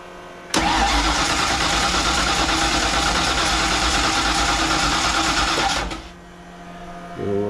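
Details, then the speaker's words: Fox-body Ford Mustang convertible with supercharger, rebuilt carburettor with uncertain float levels, quick fire-up after fuel squirt: catches and roars about five seconds then loses power and dies; won't keep running, carburettor problem suspected. "I don't know how many carburetor experts out there give me a message on that would you it's like a fires but it just doesn't wanna stay ru"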